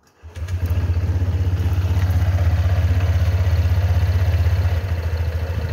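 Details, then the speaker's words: Scooter with about 2,964 km, two months in use, cold-morning warm-up idle: steady, fairly even klotok-klotok knocking about four times a second over the engine, seemingly from the CVT area; owner unsure whether it is normal. "ada suara klotok-klotok gitu loh guys dengerin ya"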